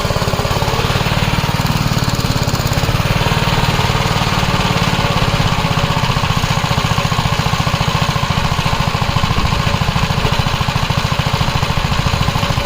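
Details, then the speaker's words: 1961 Gravely L tractor after governor replacement (one linkage rod slightly bent): single-cylinder engine holds a steady, even beat at constant speed with no surging or hunting; the new governor is working properly. "I don't know if you can tell on camera, but I could clearly hear it working."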